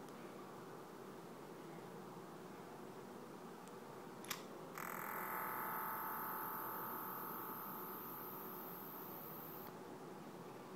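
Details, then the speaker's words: One-week-old iPhone 4 (32 GB, not jailbroken), on switching on: a click, then a steady high buzzing hiss for about five seconds before it cuts off; abnormal electronic noise, cause unknown. "What you just heard, that's one of the noises that it makes when I turn it on. Here's what happens when I turn it off. As you can hear, some very crazy sounds."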